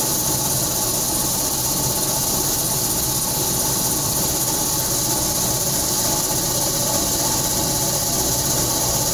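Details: Home air conditioner making a loud, steady drone with heavy airy hiss and no pitch change; a contractor said it was the motor, not confirmed.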